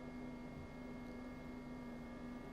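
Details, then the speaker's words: DMM AC servo motors on a DIY CNC mill homing the Z, X and Y axes under LinuxCNC: a quiet, steady hum with a constant whine and no grinding or clicks. Everything operates as it should; normal servo operation. "There goes the z-axis. Looking good there. X-axis. Y-axis."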